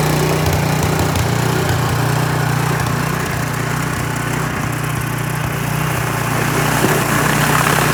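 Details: Troy-Bilt snowblower that would not start, with an animal nest found inside, then primed and started: the small single-cylinder engine catches and keeps a steady, even beat with no misses or knocking, running normally.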